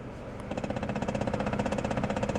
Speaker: that is the recirculation flap which we've had diagnosed by our mechanics so the heater unit has a recirculation flap and it is jamming and that is what's causing you to hear that noise